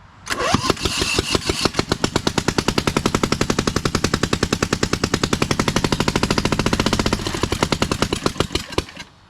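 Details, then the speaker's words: Newly fitted V-twin on a Lesco Viper 54" zero-turn, started on choke with no exhaust or muffler; owner thinks the throttle direction may be backwards. Loud, sharp, separate uneven bangs; running on one cylinder. "Wow. That's almost too loud to run. But it runs."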